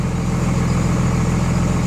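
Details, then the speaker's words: 24-valve Cummins diesel after installing DDP 50hp nozzles (4200 psi pop) to cure idle miss, Quadzilla tuner: steady even low rumble, idle noticeably lower, about 850 rpm versus factory 900, no misses; normal idle. "I noticed the idol is remarkably lower"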